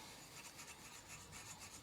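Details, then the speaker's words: Dry, gritty rasping as a barrel is rubbed back and forth during cleaning: friction from small rust deposits on the barrel. "Oui, on entend le frottement. Vous voyez, ça ne fait pas de bruit ? Et on l'entend ici parce qu'il y a des petits amas de rouille et qu'on continue à frotter comme ça."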